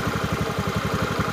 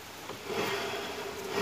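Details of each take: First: Honda BeAT scooter at idle after its clutch shoes were patched with old brake lining rather than replaced: steady single-cylinder pulse with a faint rubbing, as the new lining nearly touches the clutch bell; the wheel can still be turned back and is not stuck. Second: Honda BeAT scooter after CVT and final-drive (gardan) bearing work, with clutch shoes patched using old brake lining: the engine starts and settles into a steady, even idle with no vibration from the drive anymore; normal idle.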